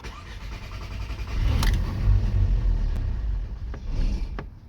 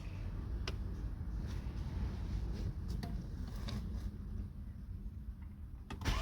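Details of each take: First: Skoda Octavia 1.8 TSI turbo, hot engine around 105°C: cranks briefly, fires roughly with uneven low rumble then fades and may stall; fine when cold; high-pressure fuel pump seizing when hot, showing only 7 bar. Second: Skoda Octavia 1.8 TSI turbo after repair of hot no-start, coolant at 105 °C, high-pressure pump pressure holding: brief ticking, then the hot engine fires promptly and settles to a steady even idle; control start confirms fix.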